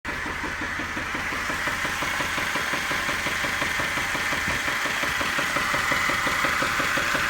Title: 2010 Jeep JK Engine Knock after EGR